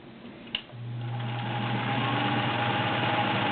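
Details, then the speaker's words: Sears Kenmore Model 1802 sewing machine, 1.2 amp, all-metal, size 16 needle sewing a couple of layers of cotton: click then smooth even low hum with steady stitch rhythm, no knocks; healthy running. "As you can hear, it's just a super beautiful running machine."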